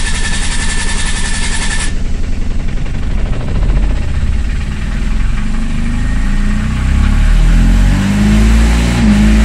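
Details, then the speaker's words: Microcar diesel with its second failed head gasket, after 135 km and coolant lost: long labored cranking, not a flat battery, then a rough unstable idle as coolant enters the cylinders. "alors je vous rassure la batterie là on pourrait croire que la batterie est à plat en fait la batterie n'est pas à sa place j'ai tout simplement du liquide de refroidissement qui arrive dans les cylindre"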